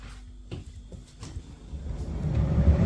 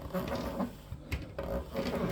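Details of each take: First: Electrolux PerfectCare 800 EW8H458BP tumble dryer, six years old, after replacing worn drum rollers that made the drum lose its axis: a few clicks, then smooth even low hum, no knocking, wobble or rocking. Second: Electrolux PerfectCare 800 EW8H458BP tumble dryer, about 6 years old: the drum turned by hand gives uneven rumbling knocks and scraping each half turn from a broken drum support roller.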